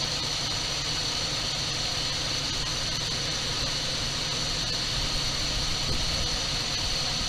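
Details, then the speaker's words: 1978 Dodge D200 crew cab, 318 V8, abandoned 17 years, sold as having a broken crankshaft that clattered badly. Running after first start on carburetor-fed gas, it idles even and steady with no knocks or ticks. "I don't hear any noises, so I'm curious about the supposed broken crankshaft. It sounds to me like a pretty good running motor."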